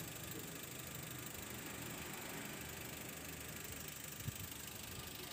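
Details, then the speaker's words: 2004 Toyota Avanza 1.3 G manual petrol, idling: quiet, even idle with a soft steady hum, no knocks or ticks; engine described as healthy and responsive, normal idle. "Ini pokoknya siap pakai, dan seperti yang aku bilang tadi ya, ban udah tebel semua, mesin sehat, responsif, dan untuk beberapa part variasi ya, ada juga bagian belakang."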